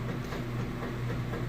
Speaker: it's got a nice strong agitation will let it move along and come back for the drain and the final spin